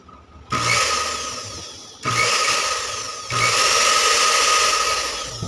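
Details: Dowell blender with a dislodged contact switch that had stopped the motor spinning despite power: three bursts of high, steady whirring as the motor spins up cleanly on setting one; the motor itself is fine.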